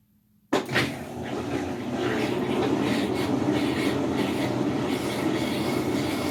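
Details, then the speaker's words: Whirlpool WTW4950XW3 washing machine, coin found inside, run on drain cycle to work the pump then spin the drum: coarse, growing rumble with rattling that builds and holds steady, typical of worn drum bearings. "vamos a escuchar este sonido que es lo considero como típico de una lavadora con problemas de rodamientos"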